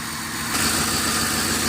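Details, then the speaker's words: Ford Explorer 4.6 V8 with P0308 code: lumpy idle with a recurring stumble, one cylinder dropping out; misfire on cylinder number eight unchanged after refitting the coil, failing coil suspected, swapping in a known-good backup coil. "no we still have a Miss let's do this take this back off again still no change in the idle so what we're going to do I have an extra coil in there I'm going just stick another coil in there and see if that makes a"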